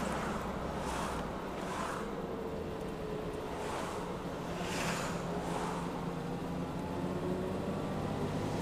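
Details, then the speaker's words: Jeep on its new Toyo tires, replacing Super Swampers that developed flat spots: a soft, even tire hum at steady cruise with the engine drone louder underneath. The tire noise is mild and much quieter than the old tires. "hear it there a little bit of tire noise but not bad definitely a lot quieter than the old rubber was"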